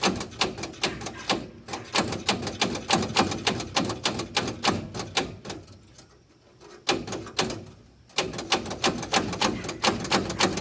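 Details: Woodchuck WC17 wood chipper engine, sat for years, cranked on a deep-cycle battery with the old-gas fuel line disconnected: steady chuffing beats about 3.5 per second with a harsh clatter on top. Motor noisy, cause unclear.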